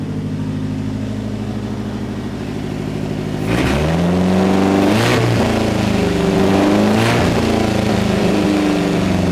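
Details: DSM car running after its first crank in about three to four years, following self-wired harness and ignition/spark plug troubleshooting. Even, steady idle, then three clean throttle blips rising and falling smoothly, with no misfire.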